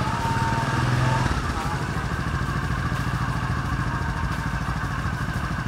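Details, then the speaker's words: Honda Supra 125 after conversion to a manual clutch with a welded centrifugal bowl, idling before warm-up: uneven putter of about three beats a second with a steady droning hum; possibly from a part behind the clutch bowl. "Ada suara bengung ini ada kemungkinan petani kita tunggu panas dulu ya supaya stasionernya stabil dulu"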